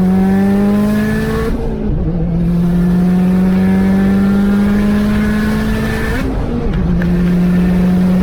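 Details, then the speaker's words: Turbo Subaru wagon after fuel pump and fuel filter replacement and a fix for misfire from spark blowout under boost: strong steady full-throttle pull climbing cleanly through two gear changes, no stumble or hesitation; problem solved. "so we did another pull and you can see from the video that we took that that pretty much solved all of our problems"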